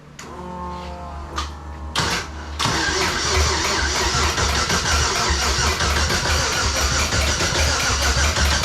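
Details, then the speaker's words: LS-swapped Chrysler Conquest on first startup cranking in neutral, starter suspected junk: the starter grinds the V8 over while a rapid tick-tick clatter runs with the cranking. Something is suspected hitting inside the bellhousing, or it may be the starter. "What was that weird tick tick tick tick tick? I don't know. It sounded almost mechanical like the starter. Either that or something's hitting inside your bell housing."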